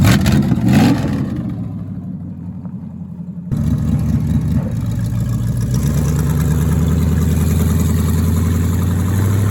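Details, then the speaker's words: 1973 Plymouth Barracuda, hopped-up 360 V8, old carburetor after sitting: deep rumble sags and falls away, then picks up unevenly off idle; stumble on acceleration, suspected dead rear accelerator pump, unconfirmed. "Maybe you ran out of gas, man. I think the back to I think the rear accelerator pump shot."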